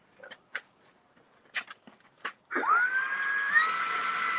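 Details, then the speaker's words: Electric ducted fan, 80mm Xfly unit in Freewing 80mm Gripen, on the ground just above throttle idle, jet already rolling forward, showing good thrust; a few clicks then smooth high whine spinning up evenly with no rattle, normal. "yeah see that that's just that's just above the throttle coming on and it's moving that fast"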